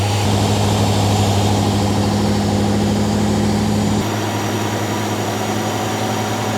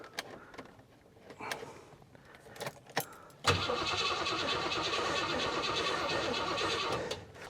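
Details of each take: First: Garage-find Rover P6 3500 V8 running while the fuel blockage is traced: steady, even idle with a smooth low burble and no puffing or ticking; sounds all right, exhaust probably not blowing. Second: Garage-find Rover P6 3500 V8, weak battery on a jump pack, choke out: steady fast starter churning for several seconds with no catch; cranks but won't start, owner thinks it's not getting fuel and will feed petrol directly.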